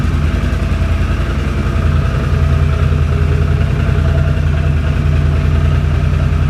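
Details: 2006 Can-Am Outlander Max 500 after installing a new EverStart AGM 12 V 270 CCA battery (old battery was the fault): low, even thumping idle at steady speed, no stumbles or catches; normal idle.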